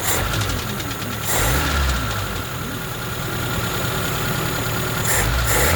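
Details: ZAZ Slavuta 1.3 petrol engine at idle, after head removed to retrieve carburettor stud dropped into cylinder 2: faint, uneven knock over low rumble, persisting for half a year, cause undiagnosed by four mechanics.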